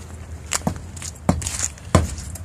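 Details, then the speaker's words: Tire-iron thump test on an older 110 truck's tire during a weekly inspection: three sharp, solid knocks with quick rebound off the tread; this is how it's supposed to sound, so the tire is properly inflated. "I think we're okay there. Yep. That's the way it's supposed to sound. The tire iron's going to bounce back off of it."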